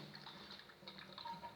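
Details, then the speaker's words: Toilet cistern (caixa acoplada) filling; quiet rushing water with a thin whistle on top while the tank refills, noisy and annoying; cause unclear; noisy cistern refill. "Bom, gente, esse é meu primeiro vídeo e eu quero mostrar para vocês por que a caixa d'água faz esse barulho e como resolver."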